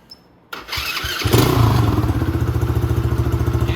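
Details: Venom Grizzly 125cc ATV after a new carburetor and a fix for a broken stator cover that stopped the pulse generator giving spark: a short crank, then it starts cleanly into an even, steady single-cylinder idle; running healthy.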